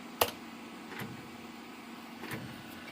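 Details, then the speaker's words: Landmark custom Pentium III PC rebooting after BIOS set to 550 MHz, 100 MHz FSB: one sharp clunk then a few faint clicks over a quiet hum as the CD-ROM drive initialises; normal CD-ROM drive startup clunk. "the clunk again. That's our CD-ROM."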